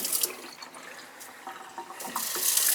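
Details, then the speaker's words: Well-water house with low pressure in some areas, pressure tank and 40/50 psi pump switch; flow from a touch-type faucet: steady, full hiss with no sputtering or surging; flow judged acceptable, not bad. "that's not a bad flow okay i've seen a lot worse than that"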